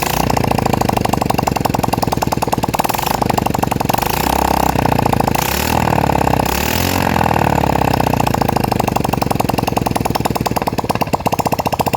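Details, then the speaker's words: Yamaha Vega R four-stroke single after valve lapping for lost compression, spark plug just fitted, exhaust not yet installed and valve cover open: loud, sharp, rapid open-port popping rising with throttle blips, then settling; fires evenly and runs properly. "Oke Kang Bro, jadi motor udah mau hidup. Sekarang lanjut kita pasang knalpot dulu, terus nanti kita coba cek lagi setelah apa namanya terpasang knalpot."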